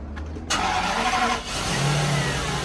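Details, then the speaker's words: 1997 Toyota Century V12 cold start after sitting 2 days. Brief crank, then it fires right up into a smooth, quiet, even idle with no misfire or knock. Normal cold start, no issues. "that is the exact sound you will always hear. Nothing beefy. You know, your image of a V12 firing up, that's a cold start. It hasn't started in 2 days. Fired right up, there's no issues."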